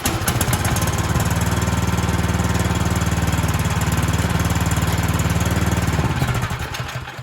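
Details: Cub Cadet 2X26 snow blower (engine 675-WUB) with a no-start complaint, pull-started on the bench at half to 3/4 throttle after priming, no choke needed: fires and settles into a steady, even beat, no misses, then winds down; running healthy.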